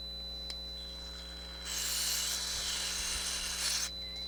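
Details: Nakamichi CR-1A cassette deck under repair: a dry rasping scratch rises for a couple of seconds as the balance control is turned, the crackle of a dirty balance pot; scratchy potentiometer.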